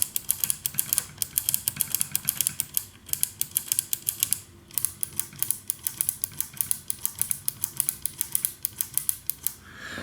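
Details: 1974 Harman Kardon 730 Twin Powered receiver: crisp, even clicks about five a second with no crackle or scratch; contacts now switch cleanly.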